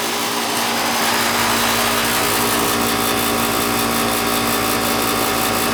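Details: AC outdoor condenser unit after replacing a bad capacitor: steady electrical hum with an even fan rush, no buzzing or stalling; compressor and fan now running normally.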